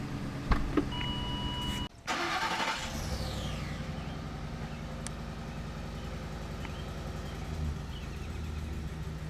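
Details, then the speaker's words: Ford 5.4 Triton V8 truck at its first start after a timing set replacement and reassembly, idling with a steady, even low rumble and no knocking; manifold ticking is heard, considered normal for now. "i hear the manifolds ticking that's normal well for right now it's normal"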